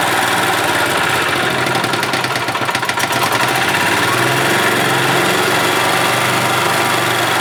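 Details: 1991 Yamaha G8 gas golf cart engine after carburetor cleaned of junk and worn-out fuel pump replaced, mixture screw adjusted; loud, buzzy single-cylinder putter that wavers briefly, then settles into a steady idle: running as it should.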